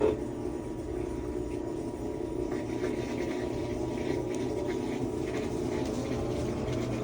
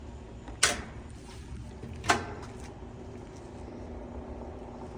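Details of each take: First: Whirlpool top-load washer after servicing, in drain and spin: spins nice and smooth with an even, steady hum and faint rising motor tones, no grinding or knocking, a normal spin. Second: Whirlpool-made washer laid on its back running a drain and spin cycle: steady motor hum broken by two sharp clunks as it agitates but fails to shift into spin; shift actuator stuck half-moved, to be replaced.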